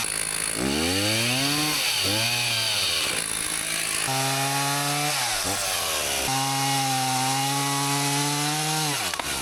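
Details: Husqvarna 162 two-stroke chainsaw, about 50 years old, repaired after not running, cutting firewood: strong high scream that dips as the chain bites and recovers cleanly each cut; plenty of power; normal running under load.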